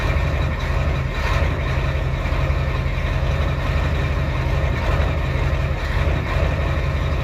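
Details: Ford 7.3L IDI diesel after fixing valve cover gaskets and return lines, recorded at the exhaust tip while bleeding air from lines: deep, even idle with steady low rumble, no misses or knocks; normal diesel idle.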